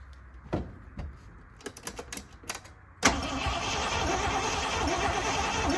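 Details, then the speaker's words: 1979 Jeep J20, engine with low compression, sitting a year, fresh fuel can, choke closed: sluggish uneven cranking for a few seconds before catching and roaring; weak battery cranks slowly. "that battery is not great I'm going close the choke off to try and pull some fuel up that battery really not good"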